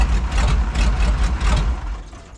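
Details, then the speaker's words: 1985 Chevy K30 4x4 diesel rollback wrecker, first start, fuel hose from tank reconnected: heavy uneven chugging with irregular knocks dying away; rough running, suspected sticking or leaking injectors, or air from pump, line or selector valve. "look at that might have some sticking or leaking injectors it"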